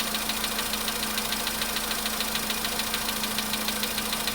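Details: VW Polo sedan, cold start at idle: light, regular ticking of about 136 a minute over a steady idle. Cause not pinned down.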